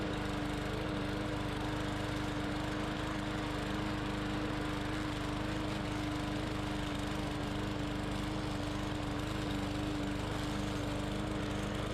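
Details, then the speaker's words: Bolens push mower, Briggs & Stratton 125cc OHV engine, first run after no-start repair, cutting soaking-wet grass: steady even drone with no surging, misfiring or bogging; some tapping noted, to check against specs. Runs healthy under load. "the grass is soaking wet and this machine went right through it"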